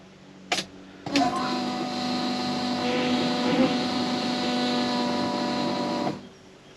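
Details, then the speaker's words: 1979 Camaro fuel pump, key on only: a steady high whine for about five seconds, then cuts off; much louder than another car's pump; owner suspects it was faulty from the factory. Loud fuel pump whine. "I'm just thinking I got one bad from the factory to begin with because it's always been loud since we put it on the car."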